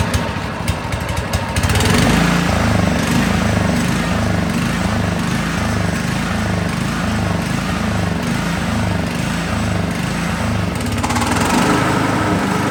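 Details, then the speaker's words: Honda HR215 mower after a carburetor teardown and clean: with the blade disengaged, engine speed hunts up and down about 3–4 times a second. It smooths out with the blade engaged, and it had done this for a year; cause unknown. "However, not sure if it's normal for this, but when the blade is not engaged, it kind of like surges. So it would be interesting to hear if that's normal for this or not."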